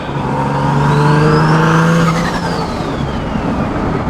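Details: Car with a top-mount turbo kit, first start after about six hours reinstalling the charge pipe and related parts: strong, even revs climb and fall cleanly with a faint turbo whistle, no ticking or puffing; healthy, sealed exhaust.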